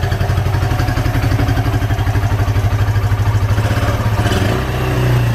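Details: Suzuki GN125 cafe racer build after carburettor rebuild and cleaning all connectors, on a makeshift syringe fuel tank, in neutral: the single-cylinder runs with an even, quick thump, blipped and settling cleanly; normal running.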